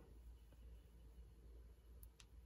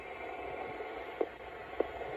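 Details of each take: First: 1960s Electra TC-505 reel-to-reel tape recorder: a steady high beep from the meter shows continuity through the corroded switch after DeoxIT cleaning. Circuit closed. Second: 1960s Electra TC-505 reel-to-reel, after degaussing and cleaning the head, playing back: soft steady hiss with faint clicks and no hum. The hiss comes from the tape itself, not the deck.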